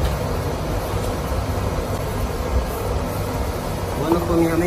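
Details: Oil-fired boiler that would not light because clogged filters restricted the oil, after all filters were replaced: an even, steady roar with a constant low rumble and no sputtering or surging, indicating normal burner operation.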